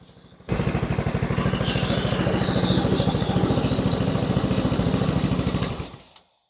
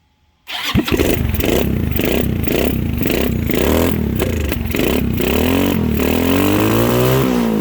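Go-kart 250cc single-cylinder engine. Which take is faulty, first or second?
second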